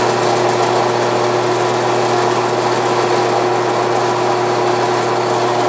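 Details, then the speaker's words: Grizzly G0561 horizontal bandsaw with Lenox 12 TPI blade on second-lowest belt speed: steady hum with smooth, constant cutting hiss, no chatter; cutting normally though not yet cutting straight. "good it's uh cutting this is the piece that came out of it"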